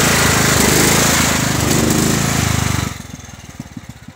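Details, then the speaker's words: Husqvarna 122C string trimmer, store return that would only start and run on choke and then die; loud engine bogs, sags into uneven chugs and stalls, white smoke of unburnt fuel, flooding with choke off; owner suspects faulty aftermarket carburetor. "But that white smoke was actually unburnt fuel. And you can hear it trying to choke it out."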